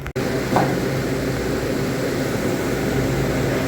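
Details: Walk-in cooler split-system condensing unit after replacing a failed 3-pole 40 A contactor (81 V on load side): steady low compressor hum under even fan rush, no chatter or buzzing; compressor running normally again.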